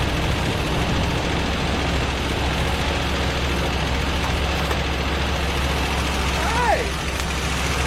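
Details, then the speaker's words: 1982 Buick Regal running for the first time in over 25 years, after the distributor timing was set: a low, steady rumble holds even with no stumble; the heavy smoke is oil spilled on the manifolds. Normal idle. "all right folks I can't believe it ran that's insane"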